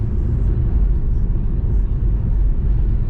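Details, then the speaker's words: Lada Vesta with ASOMI suspension parts driven over broken pavement: even low road rumble with no knocks or clunks; suspension heard working but not knocking. "подвеску слышно что она работает но не слышно что она стучит"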